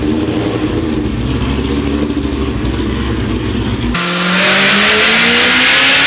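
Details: Built, cammed 2003 Ford Mustang Cobra, about 700 hp, Borla ATAK exhaust, on 93 pump fuel, driven after a retune that raised boost to 22 psi: strong V8 pull with smoothly rising supercharger whine under hard acceleration, no stumble or misfire; normal running.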